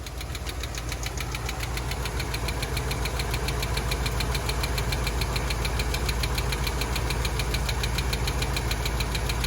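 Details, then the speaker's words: Chevy K30 one-ton Forest Service truck, V8 idling: steady light ticking about three to four times a second over even idle; valve train tick, unresolved, owners suspect a wiped cam lobe or collapsed lifter. "not real sure what the problem is could be a wipe cam lobe could be a collapsed lifter so we're just going to kind of leave this as is"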